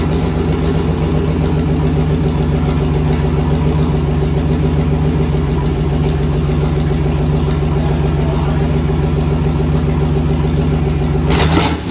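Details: V8 turbo burnout-car build, first start before turbo fitted, no alternator belt: steady even idle with smooth lope, no knocks or ticks, quick blip at the end; running normally.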